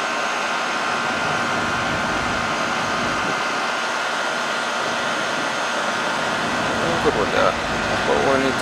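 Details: Goodman AC condenser that would not cool, after replacing the run capacitor with a stock 35/5 dual run capacitor: steady even hum and fan rush, no rattle or chatter from the compressor. Running normally.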